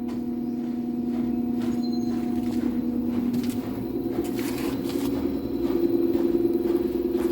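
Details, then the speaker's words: Daewoo inverter washer-dryer (9 kg wash, 7 kg dry) spinning unloaded after the damaged stator Hall sensor was replaced: a steady, smooth whirring hum that gently rises later, with no knocking or scraping. Spins normally. "any abnormal noise now it is okay now I have to check again with one cycle with the load with the fabric after that we can deliver it to the customer"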